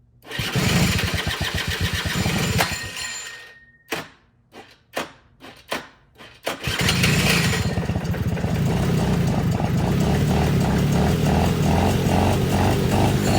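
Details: 2006 Suzuki Quadsport LT80 two-stroke ATV, stored for years after stalling, engine previously seized, run on truck battery at about 12.2 V with dirty carburetor: buzzes briefly and dies, then sputtering coughs before catching into a rough, pulsing idle; hard starting.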